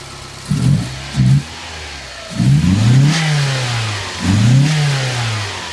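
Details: 1990 Mazda Miata (MX-5) engine, steady low idle with several quick throttle blips rising and falling cleanly; runs smoothly and sounds good; power steering faulty, fan relay replaced.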